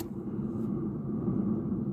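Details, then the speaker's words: Mk2 VW Polo jacked up, rear wheel spun freely by hand, giving a low, rough grinding rumble; worn rear wheel bearing, to be replaced. "But yeah, you can hear the grinding noise. When you use both hands, you can hear the wheel bearing."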